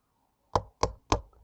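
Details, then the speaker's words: Beta X Trainer rear wheel bearing being driven in with a socket: three dull, dead hammer taps about a third of a second apart with no ring; the bearing is not yet fully seated. "once we get flush we swap over to our socket hear that dead sound"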